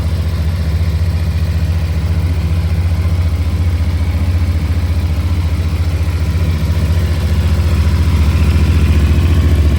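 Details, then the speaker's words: New 2024 CFMOTO motorcycle just fueled and fired right up on first start: steady, even idle with a smooth low thrum and no knocks or ticks. Normal idle. "You just put gas in. That's crazy. That's awesome. Just put fuel in it, she fired right up."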